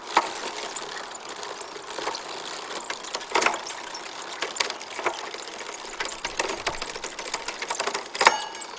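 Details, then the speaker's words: Bicycle rear derailleur being adjusted: light chain ticking with a few sharp clacks as the chain skips gears and had jumped too far off, getting stuck behind. "part of the reason I'm doing it is because that jumped too far off and got stuck behind there"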